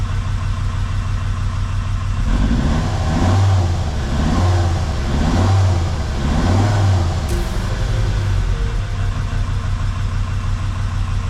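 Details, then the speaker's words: Jeep WJ Grand Cherokee 2.7 CRD diesel with injector problems, throttle blips after Liquid Moly; deep rumble rises and falls smoothly with no knocking and sounds better, though it is still smoking a lot, only slightly less. "Anyways, the engine just sounds better now. There's no knocking noises."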